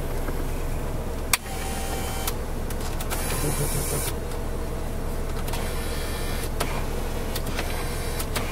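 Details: One-owner 1993 Chevrolet Corvette C4 coupe, 350 LT1, interior: steady electric motor hum with clicks at direction changes as power seat runs forward and backward, no grinding or binding; seat works normally.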